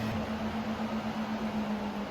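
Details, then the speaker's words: Tesla under test for a random intermittent noise: a steady low droning tone with a slight pulsing over smooth background; the AC compressor runs loud but even, normal operation. "So far it's not making any crazy noises. I don't know what the noises were, but the AC is running fine. Coolant level is fine. Yeah, the AC compressor is loud, but it's not crazy."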